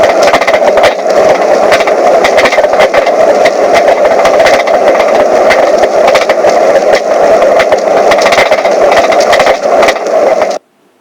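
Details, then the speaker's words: Mazda 3 driving with corroded, broken right rear passenger-side shock mount; busy rattling, knocking and clunking clatter over road noise throughout; broken rear shock mount. "here's an example of what it sounds like driving your Mazda 3 with a broken shock mount"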